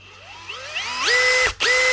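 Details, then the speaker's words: Makita DHP483 18V compact drill after a new 604 bearing and grease, with the old worn chuck still fitted: a smooth whine climbs quickly to an even, clean pitch on each of two trigger pulls with no grinding, much quieter than before. "Aha! Was that little bearing, or just the grease? What a difference, eh?"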